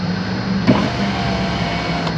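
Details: Chrysler 300 after replacement power window motor fitted, door panel hanging, switch connector only: steady low motor hum with one soft thunk near start; runs smoothly, auto-up not working.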